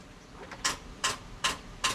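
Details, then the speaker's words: Jeep Wrangler JK swapped to a 5.7 Hemi, just after fitting a replacement starter: sharp single clicks about every 0.4 seconds with no cranking; the battery is thought to be dead, likely from too many start attempts. "now I think the battery is actually dead. Dang it. I think we tried to start it too many times."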